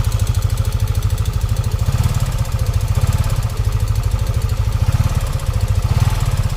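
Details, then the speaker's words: Yamaha NMAX V1 scooter before repair; fast even ticking over a steady low idle, loud and constant; top-end tick (lagitik), others blame bearing or rocker arm, cause not yet stated. "Yan, pakinggan natin yung before niya kung anong difference. Napakaingay."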